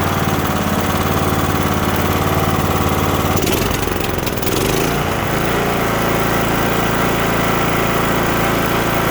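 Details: Cub Cadet LTX1045 riding mower with Kohler Courage 20HP engine that kept dying off choke, after draining water-contaminated bad fuel, cleaning and replacing the fuel filter: steady, even engine note holding speed without hunting, misses or surging; now runs great.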